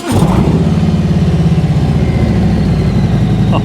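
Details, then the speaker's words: 2021 Harley-Davidson Road King fired up: the big twin catches quickly and settles into a deep, loping, uneven-fire idle with a strong low thump. It sounds healthy, a normal start. "oh she sounds nice she sounds real nice"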